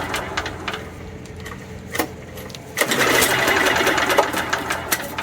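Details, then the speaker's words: Old Homelite 3500 W generator with a broken carburetor and rusty fuel tank: quick light ticking on each cord pull, engine spins freely and never fires. No compression is felt, though the piston moves. "I'm not feeling any compression out of this engine. So, I'm going to have to check for compression."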